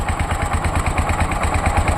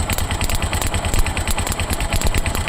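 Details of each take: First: Tuk-tuk engine whose cutting-out is blamed on the right ignition coil with a missing coil clip: a steady, even chugging idle of about nine beats a second, with no misses. Normal idle, with the engine running fine at this point. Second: Tuk-tuk engine: uneven, choking idle with skipped beats when the clip is reconnected to the right-hand ignition coil. The misfire is traced to a faulty spark plug on that side; title attributes it to the right coil.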